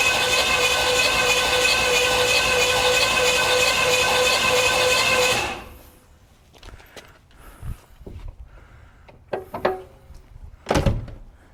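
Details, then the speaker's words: Buick 455 engine, sat since 2002, in 1971 Electra 225, first crank with plugs out on good battery: steady laboured whirring churn for about five seconds; cranks a little hard, starter may be weak. "cranks a little hard that's a good battery that starter may be a little sad"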